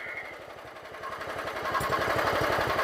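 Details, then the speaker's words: John Deere GT262 lawn tractor after swapping in a carburetor and new parts, still some old fuel: slow, even low idle with no misses or knocks; owner says it sounds pretty good. "that sounds pretty good hell I might not have to do anything hope you guys around thank you sir running a low idle that's good"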